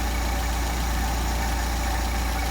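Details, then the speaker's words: Mercedes 190SL with freshly set Solex carburetors after adjusting idle mixture screws: smooth, even idle around 775–800 rpm with a steady beat, no misses or hunting; normal idle. "Best idle now. right now running about 7 75 almost 800 which is a nice idle."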